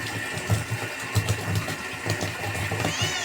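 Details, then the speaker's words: 12V DC rotor water pump after glued fitting repair: steady hum with light even pulsing and water splashing, restarts holding prime; running normally. "ये देखें दोस्तों, ये चल रहा है, अभी बंद हो गया। अभी स्टार्ट करते हैं, ये चेक करें।"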